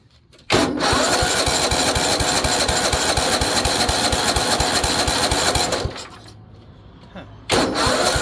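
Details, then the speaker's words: Weed Eater riding mower with a Tecumseh OHV130 engine: steady cranking at about three compressions a second, a pause, then more cranking; it never fires. No spark is suspected, unconfirmed. "there's definitely some stuff down in there that's no good that's a no spark issue why"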